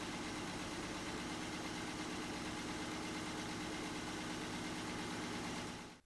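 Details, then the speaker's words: 1963 Ford Econoline pickup in restoration, first startup in neutral after pumping the throttle, choke engaged with a tap: steady, slightly raised idle with even firing beat and no misses before it cuts off; normal idle on choke. "there we go give a little tap choke comes on perfect"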